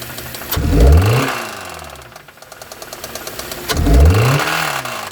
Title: Hyundai rod knock 💀😱💀